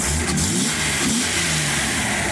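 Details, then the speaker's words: Datsun 280ZX with a previous bad misfire in cylinder 4, now with a new fuel filter and new fuel injector (moved to the back), nearly warm and being revved: steady, smooth roar with no popping or stumbling. "But as you can probably tell, running nice and smooth. It's almost warmed up. I'm gonna give it goosey a couple times."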